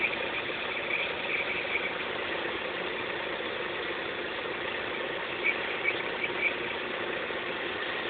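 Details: X20XEV engine at a quiet, steady idle: short high chirps in small clusters every few seconds, a strange squeal of unclear cause.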